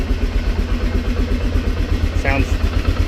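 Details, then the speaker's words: Polaris Sportsman 400 ATV with a Sportsman 500 cylinder big-bore swap: single-cylinder idle with light metallic rattle and slightly uneven beat, rattle also present with old engine; rough idle, owner suspects crankshaft counterbalancer not matching new piston, unconfirmed. "had that kind of rattle noise with the last engine as well I've noticed I've noticed from driving it a little bit and letting it idle that it does idle a little bit rougher"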